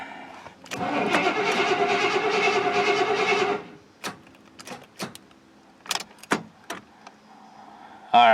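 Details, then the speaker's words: Square-body 3/4-ton 4WD Suburban, worn distributor cap and rotor: cranks evenly about three seconds without catching, then cuts to clicks as battery connection drops; no start. "right well we lost battery connection Maybe foreign say that's a no so the struggle continues and this one's going to hurt even more"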